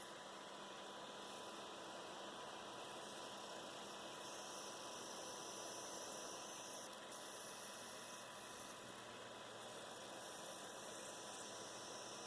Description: This is a video demonstrating what coil whine sounds like on a Dell XPS 13 9360 model with Core i7 processor and QHD+ touchscreen